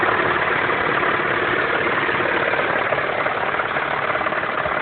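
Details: 2.7T engine at idle: muffled, fairly even tapping under the run, roughly three to four per second; engine knock of unknown origin.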